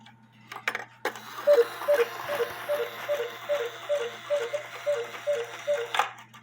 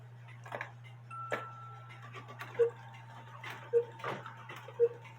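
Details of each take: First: Cuckoo clock running a 1,500 gram drive weight when the movement calls for 320 grams; quick two-note calls rattle off about twice a second, far too hurried: the cuckoo calls too fast because the weight is too heavy. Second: Cuckoo clock whose bellows need repair, so only one pipe plays; unhurried calls about a second apart over hum and ticking: the normal cuckoo rate, slower than before, when the 450 gram weight (320 gram specified) caused fast calling.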